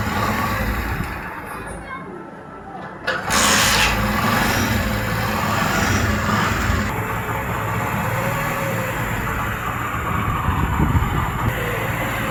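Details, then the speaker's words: Motorcycle started after an engine oil change with fresh Havoline oil; quiet three seconds, then catches and settles into a steady even run with a slightly uneven throb and no knocks: engine starts and runs normally. "अब oil डालने के बाद start करते हैं, sound check करते हैं sound कैसा है।"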